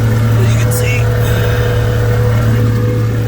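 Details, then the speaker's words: Mercury two-stroke outboard test run: low even drone at steady speed, no stumbling or surging; running smoothly, bulb stays full. "back at it again maybe uh 30 seconds into it going let it run for a little while see if I can't get it to uh do the same thing again"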